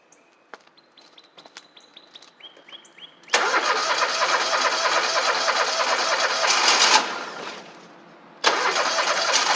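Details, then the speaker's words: Toro Z Master mower, about 15 years old, 27 hp Kohler Command twin, down on power: after starter clicks it fires and runs lumpy and rough, missing on one side; running on one cylinder, suspected failed ignition coil (12 V coil question). "so and you can hear it audibly too if you listen to it it doesn't have that smooth sound and it sounds like a running rough"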